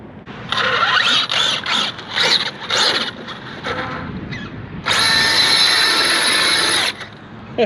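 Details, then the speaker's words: Arrma Outcast 8S RC truck under hard throttle punches: sharp bursts of high-pitched gear whine with gritty rattling, then a long harsh howl. The centre differential is failing after a rough drive that included a jump with an audible pop. "you hear that center diff just dying was not happy at all i gotta tell you guys it's a fun truck but that was a rough drive"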